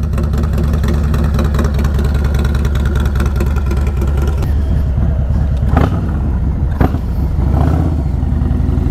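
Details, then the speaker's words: Harley FXLRST Low Rider ST, Stage 2 117 ci with Star Racing 30/30 cam, day after Power Vision dyno tune, on a ride: lumpy V-twin exhaust climbs cleanly with throttle, no misses, greatly improved, healthy running. "so the today is the next day taking it out for a ride so you can hear it really really greatly improved"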